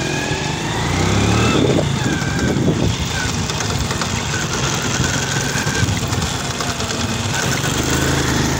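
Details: Honda XRM110 before overhaul, phone held near the engine while revving in second gear: a thin, steady helicopter-like whine rides above the engine note; a chipped or broken second gear tooth is suspected.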